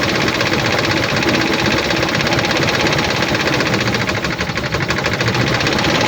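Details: 2007 Dodge Ram 1500, 4.7 L petrol V8 (EVC, 238 PS), 290,000 km: uneven, lumpy running with a chuffing stumble in the firing beat; misfire from no compression in cylinder 1.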